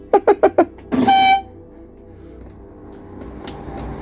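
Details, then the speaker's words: Reliant Supervan (early 2000s) with lights being tested: after a few knocks, a short clear reedy toot of steady pitch from a dash switch; working horn. "I wonder if they work let's have a little look gotta be one of these in it oh that's the horn"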